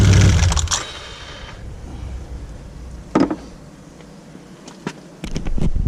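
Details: 2016 Can-Am Outlander XMR1000 jacked up, in drive and 2WD: low rumble with sharp hollow bangs on throttle, caused by a cracked plastic bracket inside the secondary clutch; fixed by replacing that part.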